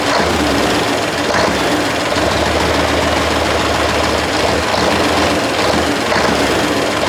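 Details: 1973 Mack R700 with Mack 865 V8 diesel running for first time in 20 years after freeing a frozen injection pump rack: loud, heavy, slightly uneven rumble with steady clatter and smoke when throttle released; rough running after long storage.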